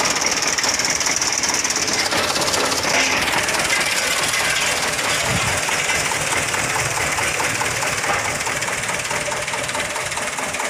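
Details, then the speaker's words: Mitsubishi Fuso Canter HD 125 PS diesel truck idling with a clattery, limping, uneven beat, one cylinder dropping out; cracking the injector lines showed injector 1 clogged while injectors 2–4 were normal. "Getar kayak ada yang telat suplai solarnya ya. Kayak pincang-pincang."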